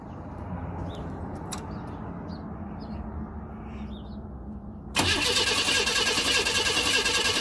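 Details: 1992 Chevy Camaro RS V6 cranks strong at a steady fast rhythm but never fires. Starter not at fault; fuel pump, filter, spark plugs, cap, rotor and injectors are new and fuel, spark and basic sensors were checked; cause unknown.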